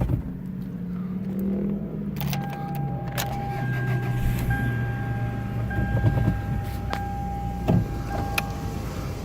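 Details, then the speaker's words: 2004 Toyota RAV4 with a 5-speed, cold start below freezing: the starter catches quickly, then a smooth, steady idle with no knocks or rattles and no startup complaints. A normal cold start idle. "Sounds good. No startup complaints or anything like that coming from the engine."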